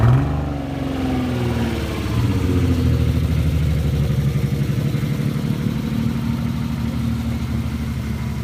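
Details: Nissan 300ZX engine revving: uneven, stumbling beat under a low roar. Misfire of unknown cause, with a full engine rebuild being done.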